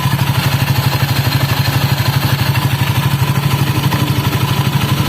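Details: Honda Scoopy scooter lacking power, heavy sluggish acceleration: rough pulsing churn from the CVT belt drive about two beats a second over idle; roller housing damaged, spacer seized and unable to move, needs replacing.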